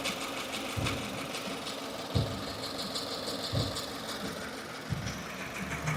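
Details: 2015 Subaru Forester, warm idle out of warmup mode: soft whir broken by irregular chattery bursts every second or so, not in step with engine; new since days before, owner suspected lifter or rocker roller issue; source unconfirmed.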